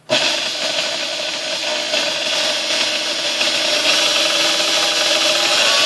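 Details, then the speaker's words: Sunbeam Mixmaster 1-7A 235 W mixer after cleaning, lubrication and resistor rebuild: smooth high-pitched motor whir, steady and even, rising slightly through all speeds; no grinding or rattle, running normally. "all right baby pellets you know runs through all the gears fine and all that so all the speeds"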